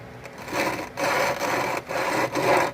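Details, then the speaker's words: Suzuki King Quad 700 original rear differential, disassembled and turned by hand: gritty, dry rasping in four strokes from shot bearings; seals failed, mud got in, oil never changed by previous owner; replaced with a used rear end. "pinion if you can look maybe you can see better here or you can hear bearings are shot you look here"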